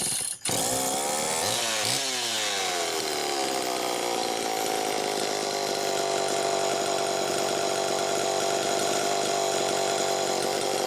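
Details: Super EZ chainsaw test run after repairs: new throttle handle, blown-out muffler replaced, extreme carbon cleared from the muffler port, points cleaned, crank seals replaced and a decompression-valve leak addressed. A couple of quick revs settle into a smooth, steady two-stroke buzz with no surging; it runs healthy.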